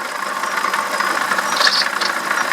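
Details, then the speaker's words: BMW E65/E66 at idle: chirpy high squeak repeating over a steady engine hum, still present with the fan unplugged, ruling out the fan clutch. Pump shows a slight wobble and no coolant leak; squeaking for a couple of days. Worn water pump bearing. "okay fan is completely unplugged and I'm still hearing the squeak so it's definitely the water pump bearing"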